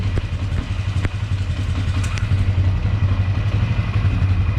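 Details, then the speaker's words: 1999 Polaris Sportsman 500 after fuel pump replacement, started with choke, cold: low, steady single-cylinder thump at even idle, no misses or knocks; idling smoothly, earlier popping apparently fixed. "wow I think that fixed the issue man it's sitting there running idle and"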